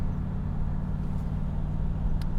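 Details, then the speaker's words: 1991 Chevrolet Camaro Z28 with 5 L V8, 22,000 miles and five-speed, in second gear at low rpm and part throttle: steady, even rumble with no popping or shaking; misfire cured, either by the new distributor or by the new ignition module. "I'm going to enjoy the sweet noise of a 5 L V8 without a misfire oh my gosh the car's not shaking anymore look I'm holding it steady at part throttle"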